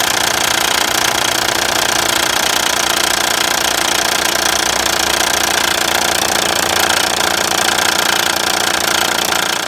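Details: 2006 Honda Ridgeline with sharp, even, bright clattery knocking around 220 per minute at idle over the engine; another shop had said it needed a motor, but the cause was a bad timing belt tensioner, replaced along with water pump, timing belt and idler pulleys.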